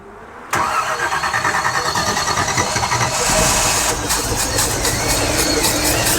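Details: 1955 Chevrolet Nomad, after distributor reinstalled, long fast cranking with steady starter chatter but no firing; not pushing fuel, owner suspects something disconnected or connected wrong.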